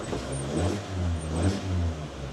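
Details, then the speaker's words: Used manual car, parked, engine blipped twice, rising and settling smoothly with no knocks; engine sounds all right. "Engine sounds all right."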